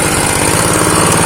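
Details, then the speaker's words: Honda GX160 engine, long unused with compression loss, choke closed: low, uneven loping idle nearly stalling; idle set too low, fixed by turning the front throttle stop screw clockwise to raise idle. "Kita tutup dulu bagian cuknya. Untuk stasionernya kurang stabil ini."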